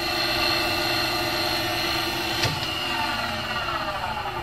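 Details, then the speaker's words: Cincinnati Monoset MT tool and cutter grinder, main work head running: steady even whine, bearings sound in really nice condition, no unusual noises, just a faint belt flutter at the back, which is common. "you can hear the bearings sound like you're in a really nice condition no unusual noises you hear a little bit of bolt noise in the back - that's common"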